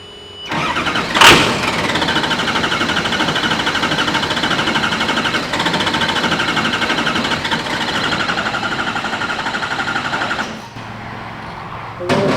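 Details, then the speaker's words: 6.0 Power Stroke HEUI diesel swapped into a Mustang, after starting-then-dying attempts: starter cranks steadily about four turns a second for ten seconds, never fires, sounds like air; crank no start, cause unconfirmed. "really sounds like air. It does, doesn't it? Yeah."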